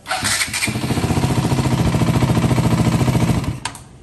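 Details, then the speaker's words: KTM Duke 200 that cranked but wouldn't start, after replacing the generic starter with an original NS starter: even steady cranking about three and a half pulses a second for three seconds, no labouring, current within range; normal cranking. "Listo, como pueden observar, le pusimos ya otro arranque. Este es el que tenía, un arranque genérico. Vamos a ver cómo está prendiendo."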